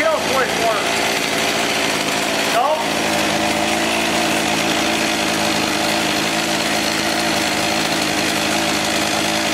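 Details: Echo HC-1600 two-stroke hedge trimmer, revived after sitting a long time, after opening a carb adjustment half a turn: high, steady buzz holds an even pitch with no surging or stumbling. Runs smoothly after the carb work.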